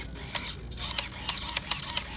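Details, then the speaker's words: Sharp, irregular light clicks, about four a second, as a mini servo moves. The servo horn is striking a piece of tape; trimming a sliver off stopped the clicking. "you hear that clicking I don't like that that's the tape hitting"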